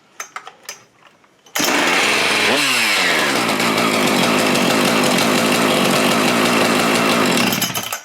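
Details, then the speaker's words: Husqvarna 575XP chainsaw after replacing a ruined integral crank seal with a separate radial seal: it fires and settles into a steady, even two-stroke buzz after a quick rev, running cleanly and holding speed. "Alright, we have a running saw. I guess this little operation worked."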